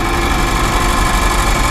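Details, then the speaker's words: 1955 Chevy with new exhaust, running on fuel in the carburetor, temperature gauge just under half: rough, even idle with a dense buzzing rattle on top; owner suspects something hitting the fan but doesn't know what, cause unconfirmed. "So, I don't know what that's hitting. Buzzing on something."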